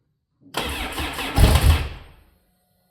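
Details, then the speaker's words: Sea-Doo RXT after a rebuild, first start attempt on a jump pack with the fuel pump heard running. Cranks about four turns a second with a few strong pulses that nearly catch but never run: cranking, nearly firing. "There goes the fuel. Oo, so close. Come on, baby. Almost."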